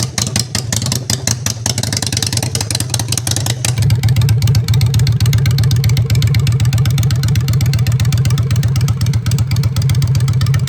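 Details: Honda Shadow V-twin, freshly customized with new custom exhaust pipes, on choke in neutral: deep, lumpy beat that steps up in loudness and speed near four seconds, firing stays even; normal healthy idle and revs.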